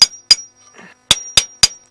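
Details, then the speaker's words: Detroit 8V71 diesel in Peterbilt 359 after a runaway: six sharp brass-punch strikes on injectors, each leaving a clear sustained high ping instead of dead thud; first two injectors stuck. "But this one, I mean, you can hear it. You can hear that high-pitched ping. These first two injectors are stuck,"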